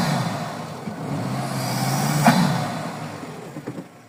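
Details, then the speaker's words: Turbocharged car on road test after air filter change: engine pulls, then a quick sharp hiss as throttle closes that dies away; normal blow-off (dump) valve release. "Voilà, ça c'est le bruit de la doll valve."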